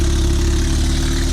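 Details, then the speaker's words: 2005 Lotus Elise with a Weapon-R header and cat delete, mocked up but not bolted, no gasket fitted and O2 sensor holes open: a loud, raspy idle with sharp chuffing at the header joint, leaking exhaust. "we don't have a gasket on and we have to open o2 sensor holes and nothing's nothing's bolted up yet"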